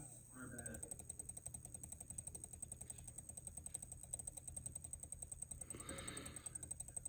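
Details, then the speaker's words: Furitek Komodo RC motor spinning slowly with no gears attached; fast, even ratcheting clicks over a faint high whine at crawl speed, gone slightly slower, jumps as speed rises; owner suspects a faulty motor, cause unconfirmed. "I don't know, but that speed right there that it makes this sound is like perfect crawling speed."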